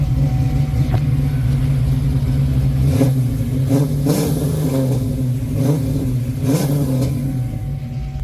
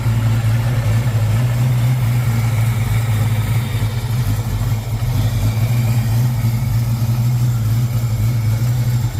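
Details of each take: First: 1995 Mustang Cobra SN95 with 331 stroker and old Flowmaster exhausts, revived after sitting; deep, even burble climbing cleanly through several throttle blips, no knocks or misses, healthy. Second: 1995 Mustang Cobra, 331 stroker, sat for a while, with good oil pressure and the battery charging: deep idle with an uneven, choppy beat. Lopey idle, believed from a custom Comp cam, not confirmed.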